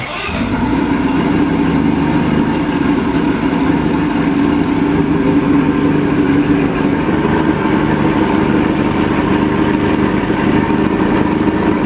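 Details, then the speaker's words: Cheap used outboard on a Javelin boat, after a screw repair to stop a leak: it catches and settles into a steady, even run with no knocking, a good tell-tale water stream, no leak, though it smokes; sounds healthy. "It ain't leaking, guys. I got a good stream of water. That sucker sounds pretty good, though."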